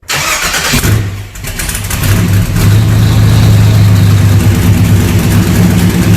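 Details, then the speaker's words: C3 Corvette with LS swap, first start after fitting newly built stainless side-pipe headers: cranks, catches quickly and settles into a steady, deep, even V8 idle with no ticks or misses; healthy start. "So finally, it's time to get it fired up. Listen to it and hear this thing really sounds sweet."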